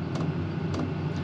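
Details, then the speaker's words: New diesel heater in cargo trailer camper: dull uneven thumps, about two or three a second, over the steady low hum; owner dislikes the thumping noise, cause not yet figured out. "really don't like that thumping noise it's making so I just have to figure a few more things out"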